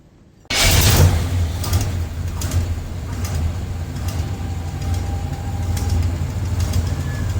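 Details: 1986 Chevy C-10 started after a water pump replacement, in cold weather (17°) while the coolant system burps air through a no-spill funnel. It catches at once and settles into a steady, even low rumble with no knocks or squeals; healthy idle, belts lined up.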